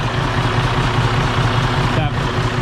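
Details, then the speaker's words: Detroit DD15 diesel with bad crankcase breather and suspected low compression, idling: heavy steady thrum with a soft rhythmic puff, no heavy blow-by; mechanic suspects valve problems, possibly out of adjustment, not confirmed. "that sound typically means the valves are having some issues"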